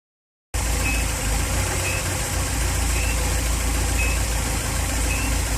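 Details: Volvo B234FT engine, warm idle: faint high chirp repeating about once a second over steady rumble, seemingly every 2 cambelt revolutions (marks on belt); varies with rpm, much squeakier and louder when cold; alternator ruled out, cause unconfirmed.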